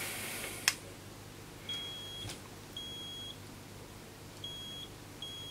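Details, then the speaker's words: Vinidex HST-S-160 electrofusion welding unit powered up with a 20-ohm, 1000 W resistor as the load: a click at switch-on, then four high half-second beeps about a second apart showing error 1, power supply failure; a weld attempt then gives error 2, coil not sensed. "see error one so we'll clear that"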